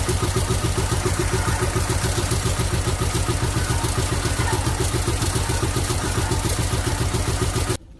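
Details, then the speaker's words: Loud, choppy idle at about 210 beats a minute, lumpy and uneven; owner suspects a couple of stuck valves causing low compression, not confirmed. "i think i got a couple stuck valves reason why i don't have compressors"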